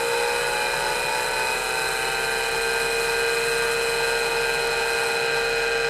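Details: MiniScribe hard drive in an IBM 5161 expansion unit attached to an IBM PC 5150, roughly 40 years old, microphone close to the drive: loud high whine drifting in pitch as the spindle slowly runs up and hunts for speed, then steadies; loud spindle whine.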